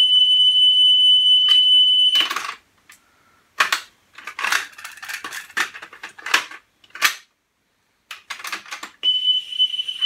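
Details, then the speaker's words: Pioneer CT-W205R double cassette deck during service, playing a 3 kHz test tone recording, 10 kHz to follow: steady high tone broken by handling clatter as head azimuth is adjusted for highest pitch; tape head azimuth adjustment. "and as you can hear what i'm doing is i'm listening for that tone to be as high pitched as possible and at the moment i'm doing it on 3 k i will shortly do it on 10k"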